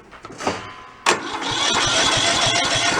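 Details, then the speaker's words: Toro riding mower engine that blew apart, reassembled missing half the crankshaft, spark plug in with spark disconnected: starter whirs it over with even, strong compression thumps and no firing; good cranking compression. "Just listen to it, see if we get a good compression thump to it."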